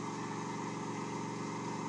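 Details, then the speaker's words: Off-center (eccentric) wood workpiece on lathe, speed being increased: steady low rumble with fast throb under motor hum as it shakes the lathe; too fast, slow down until noise disappears. Workpiece imbalance vibration. "so that tells me I am past the point where I want to start turning that I want to slow it back down until that noise disappears and maybe a little bit beyond"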